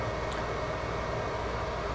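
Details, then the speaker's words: Xbox 360 with fans getting progressively louder after power-on: constant high whoosh, no pitch change, much louder than normal, air not really hot; CPU probably raising fan speed on rising temperatures. Cause suspected: dust or disintegrated heatsink thermal pads. "now this is pretty loud I mean normally Xboxes don't get this loud air isn't really hot I mean I guess the fan is doing its job but this behavior is not normal so"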